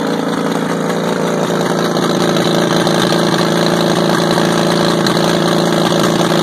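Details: WWII-era Caterpillar RD4 bulldozer diesel on its first start in 20 years, recovered from a canyon with seized clutches: steady chug at about four beats per second, rough but even and holding speed; running normally.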